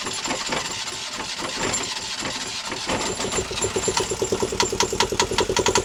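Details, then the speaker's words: Newly installed Yanmar 2GM20F diesel in a Prout catamaran, cooling water drawn from a bucket: loud, sharp exhaust pulses at a steady idle with cooling water gurgling through; runs cleanly. "So far, so good. Is this an omen? Just got the engine running. Double rainbow there. Yeah, we're up and running."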